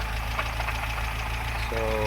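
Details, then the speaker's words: Conquest TSI (G54B turbo) parts car, long sat in a barn, at idle after startup: loud regular deep hollow knocking in time with the crank, heavy smoke; owner suspects shot rod bearings and likely worn piston rings, unconfirmed. "to me that sounds like rod bearings if I'm not mistaken so I think the rod bearings are pretty shot on this"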